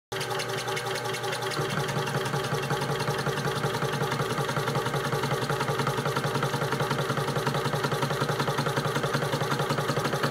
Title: Shoebox knocking noise video